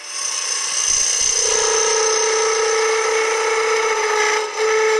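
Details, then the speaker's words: Wood lathe turning a cone-shaped ringed tree, taking diameter down: scraping cut with a shrill buzzing ring near 500 Hz over the rasp as workpiece vibrates; tool chatter. "that sound is called chatter means things are vibrating a little more than I would like"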